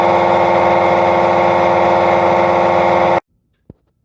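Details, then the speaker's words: Samsung WF45R6100 front-load washer spinning: loud, harsh roar and steady whine pulsing with the drum from a badly worn drum bearing, before bearing replacement. "Hi YouTube, got a Samsung front load washer. It's got a really bad bearing noise."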